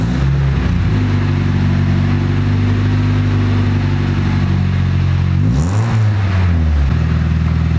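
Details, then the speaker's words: Newly bought five-speed petrol car, 133,000 miles, with Powerflow exhaust: deep uneven idle rumble, revs up and drops back; rough breathy note, suspected hole in the exhaust blowing, not confirmed. "there's also definitely most likely a hole in the exhaust this blow in but i'll show you what it sounds like"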